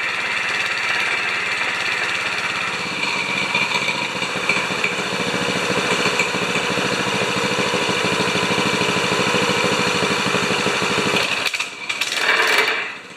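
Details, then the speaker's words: 196cc single-cylinder plate compactor, previously seized, now running after repair. It buzzes fast and steady under clutch load, then shuts off at the end: normal running. "sounds pretty good actually clutches too okay i call that a success we've gone from a seized plate compactor to an operational plate compactor"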